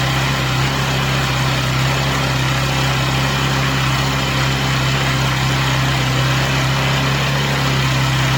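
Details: Chinese Amazon mini bike small single-cylinder engine after first start, warmed up on a table: steady even idle buzz, no stumbles, knocks or rattles; smoke stopped, running clean and healthy.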